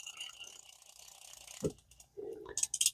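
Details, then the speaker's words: Vintage Shakespeare Tidewater 30GL baitcasting reel after repair of a lock-up and cleaning, lubrication and level wind adjustment: light even clicking and gear ticking as handle turns, no binding or grinding; level line traverses back and forth normally. "I'm GNA there and it's working there your level line going back and forth as it should it's nice and"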